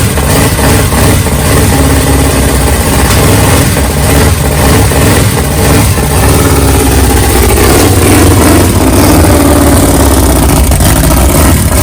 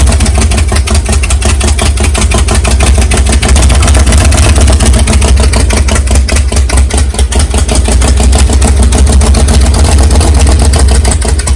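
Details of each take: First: Big-cam 454 Chevy big block on an engine stand, early start with no tuning, for a rat rod: loud uneven lumpy idle with loping beats and occasional rev blips; camera mic may exaggerate knock. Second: Big-cam 454 big-block Chevy, first cold start on engine stand, no tuning, carburetor still problematic: loud deep choppy fast idle with uneven lumpy lope, steady; fresh engine running healthy, camera mic may exaggerate a knock.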